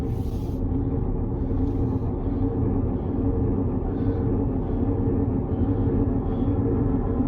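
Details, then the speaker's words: Car being recovered: heavy, continuous low grinding rumble while rolling forward, absent in reverse; drivetrain or suspension fault suspected, cause not confirmed; grinding rumble when driving forward. "Oh, that sounds so bad. It doesn't do it going in reverse. That's a bit weird. Just forward."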